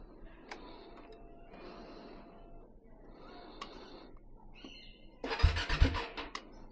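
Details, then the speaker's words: Bajaj Dominar 400 with roughly one-to-two-year-old battery, parked several days, showing ECU CAN communication failure: short, weak starter bursts that die within a second, then one harder churn that also quits; starter cutting out, battery suspected. "See, I've pressed the starter but it goes dead. Now I'll have to do this n number of times."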